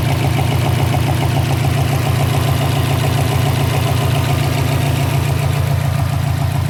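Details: 2012 Subaru Impreza WRX at idle: steady popping pulse about three to four per second over low engine drone; caused by loose intake manifold.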